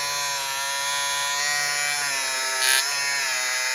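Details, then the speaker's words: Life-Like HO scale F40PH locomotive with 14:1 truck gearing, test run after repairs: steady high-pitched motor whine with smooth, even gear hum, no clicks or binding; runs normally. "Everything's working fine. I don't feel any problems with those gears."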